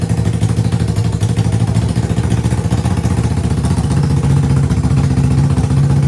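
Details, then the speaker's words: 1980 Yamaha XS400 Special twin, first start after sitting, previously died on the road, no mufflers: loud raw uneven blatting at a lumpy idle; exhaust open, but runs sweet. "All right, then. Holy cow, that is loud, but it runs sweet."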